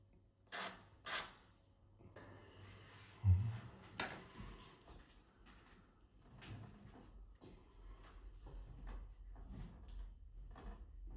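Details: Heavy entrance door after a squeaking hinge fix: the door couldn't be lifted off, so holes were drilled in the hinges, the hinges aligned and lubricated through them; swings with soft thuds and rustle, no hinge squeal.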